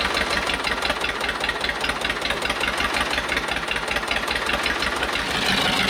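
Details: Cheap old Detroit two-stroke diesel dozer, sat with one cylinder full of water, running on only 2 of 4 cylinders; rough, lumpy stumbling idle with clattery top end while warming up: dead cylinders, smokes and blows oil.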